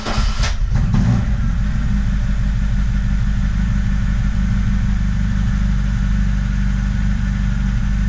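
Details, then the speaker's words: VAZ 2106 Zhiguli after battery installed, owner notes starter sometimes makes an unpleasant noise one in three to five starts: brief cranking catching within a second into steady even low idle; normal start and idle. "зразу запустилась. Літом вона дуже гарно запускається."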